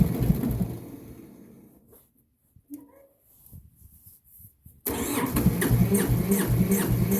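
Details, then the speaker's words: Massey Ferguson 205-4 diesel on a cold, damp day: after a pause the starter turns the engine over in steady, even chugs and it never fires; the kill-switch fuel shut-off knob was left pushed in. "i definitely shouldn't push that in and try again that is the kill switch so if i had left that out it probably would have started next"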